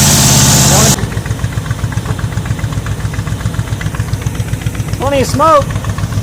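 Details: 1985 Ford Bronco first start after 8 months, likely coolant getting into cylinders; lumpy uneven idle, irregular stumbles, loose knocking, running on about six cylinders; needs head gaskets, maybe heads rebuilt.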